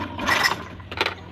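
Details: Honda Scoopy FI fails to crank: three short rasping clatters about half a second apart, starter just rocks it, engine never turns over; crankshaft position (CKP) sensor weak, though compression seems too tight, so valves are adjusted and the CKP sensor replaced.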